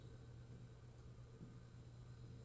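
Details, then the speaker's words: Frigidaire/Kenmore refrigerator with a variable-speed (VCC) compressor, in a diagnostic test step: a faint, steady low buzz at an even pitch. The compressor is running normally at maximum high speed. "so I have a VCC compressor variable speed press set and compressors running"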